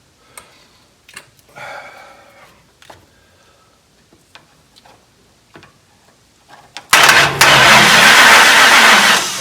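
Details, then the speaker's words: 1969 Dodge Charger with ignition-system problems, started via a dash push button: after clicks, the starter spins the engine evenly for a few seconds without catching. The ballast tested good and the coil is unknown. "let's see what happens maybe not it won't start very good it's not wireless okay then what's going on here"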